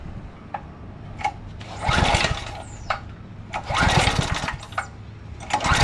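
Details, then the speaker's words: 2007 McLane reel mower after carburetor cleaning, no fuel tank hooked up, on choke and fast: small single-cylinder engine catches and runs a while on carb-bowl fuel only, sputtering as it runs out, then shut off with the kill switch. "All right, that was just fuel in the carburetor bowl. Obviously no fuel tank hooked up."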